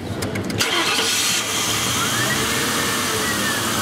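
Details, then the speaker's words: 1999 Ford Crown Victoria 4.6, towed in because it only ran with the throttle held; on restart the starter cranks, the engine catches and flares up, then settles to steady idle, showing the solenoid-type idle air control valve opens and closes; normal startup idle flare. "here the flare up what that flare up tells you is the valve is functional in both directions it it opens and closes"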